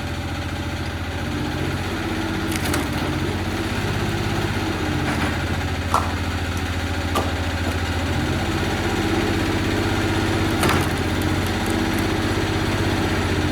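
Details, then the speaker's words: 20 hp diesel engine on a home-built heavy-duty vertical log splitter with 28 gpm hydraulic pump, not at full throttle: steady low chug with uneven, lumpy beat and faint clatter; runs rough and low on power after sitting months, ran perfect before, cause not yet found. "So it sounds like shit. Yeah, it doesn't But- sound good. It's not. We're pretty bummed out."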